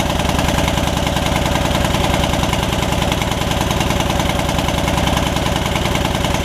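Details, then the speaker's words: Yard Machines riding mower engine, first runs after being revived from a water-filled engine, holds a fast, steady beat with a slightly uneven, lumpy edge. The owner suspects it is a little rich and needs to purge; the valves were not yet gapped. "it's still got a little bit of a something going on but i'm not sure like it's running a little rich or something"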